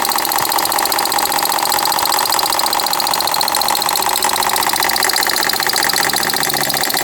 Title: 2012 Ford Fiesta knocking sound (water pump & belt already replaced) 02/07/2020